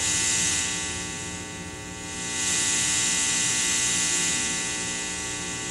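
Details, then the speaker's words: Bass through Mitchell MB-200 / Fender Rumble amp: steady 60 Hz hum with excessive high hiss, shifting with pickup mix and EQ; owner first suspected the guitar despite good grounding, but the amp proved faulty and was exchanged. "and that high frequency hiss that's excessive over what the amp is producing by itself so the guitar is producing both of those sounds"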